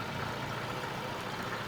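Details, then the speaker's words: 2000 Lada Vega 1.5 engine started after major service at 16616 km, running to check for coolant leaks: steady, even idle hum with no knocks, ticks or squeal. Runs well. "Şu an gayet güzel aracımızı çalıştırdık herhangi bir su kaçağı var mı diye bir süre bu şekilde çalışacak"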